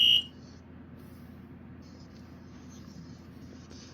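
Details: Dicon 400L photoelectric smoke alarm, test after powering on: brief beep then only a faint wavering high tone; abnormally quiet alarm, maybe a pre-adjustment sound, cause unknown.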